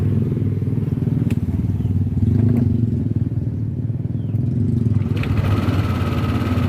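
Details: Yamaha Lexi 125 running after an engine rebuild; it had run low on oil and had a worn piston causing rough noise and smoke: a steady engine with an occasional light click, which is the VVA solenoid working normally.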